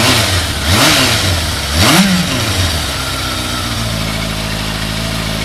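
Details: Thunderace motorcycle finally running after hours of work (carb cleaner sprayed, plug spark checked): a couple of throttle blips, then a smooth, even idle with a steady hum and no misses; normal idle.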